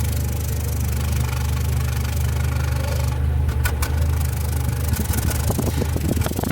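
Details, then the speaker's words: Nissan Platina brought in for power loss and shaking at stops, popping through the exhaust; recorded close to the engine, idle turns uneven with sharp pops, no misfire codes stored; suspected faulty spark plug or coil causing misfire at idle. "miren parece que está aventando pues balazos amigos y el detalle está que no nos marca nada esto casi cuando es así nos está indicando que alguna bujía alguna bobina está fallando"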